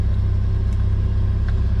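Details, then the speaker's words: Jeep Wrangler YJ started after a steering column replacement, fuel pump audible and oil pressure coming up: deep, steady idle rumble with an even pulse and nothing rattling. Running properly. "Can hear the fuel pump. And it lives. Oil pressure's coming up again."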